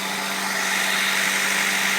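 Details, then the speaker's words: 1995 Acura Integra no-start fixed with new plug wires, distributor cap, rotor and ignition coil: starts right up into a smooth even idle with steady hum and faint high whine, no misses or stumbles. "see whoa started right up really quick no [Music] problem thing looks like it's working good so"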